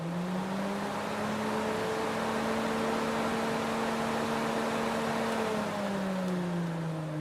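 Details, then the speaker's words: Fiat Tipo electric radiator fan motor after repair: it had been noisy and stiff, sounding like a stone inside, possibly from dirt after water got in, and was cleaned, lubricated and had its brushes serviced. Now a smooth even whir with strong airflow and no scraping, coasting down. "que show que ficou e ela não faz barulho nenhuma é só o vento mesmo bastante vento mesmo"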